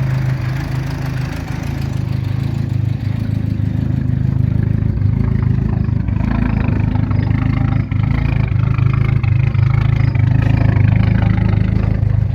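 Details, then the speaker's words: Turbocharged engine idling outside after coolant and power steering bleed, warming up: loud, uneven lumpy low rumble; another big issue, cause unknown. Rough idle. "definitely have another big issue. I just don't know what it is."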